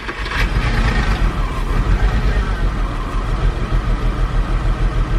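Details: Boxster S (986) six-speed manual, first start after sitting about 10 years on roughly 9-year-old fuel, sold as mechanically damaged: uneven, lumpy idle with loping beat and stumbles, misfire persists with MAF unplugged; owner suspects fuel filter, spark or coil packs, unconfirmed.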